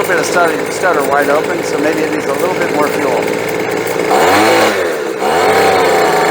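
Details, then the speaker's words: Bolens leaf blower small two-stroke at full throttle after new fuel and a high-side carburetor adjustment: buzzes high and holds wide open cleanly, no longer stuttering or stumbling as before the adjustment. "and you heard this was stuttering and stumbling and having a heck of a time when I tried to hit the fuel and then I gave it a little bit more fuel on the high side has smooth down"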